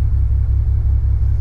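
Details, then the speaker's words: BMW E92 335i, N54 engine with 17T hybrid turbos, warm idle recorded with microphone near the exhausts: lumpy, uneven beat with regular dropouts, rough idle or misfire; no fault codes or dash warnings, owner suspects a cylinder down on compression. "so basically it's got a it's got a rough idle or a it's a misfire in my opinion"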